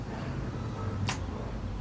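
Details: Abandoned 1990 Yamaha XV1100 Virago: pressing the starter gives one sharp solenoid click, then silence with no cranking, and the oil and fuel lights come on. Cause unknown. Starter clicks, no crank.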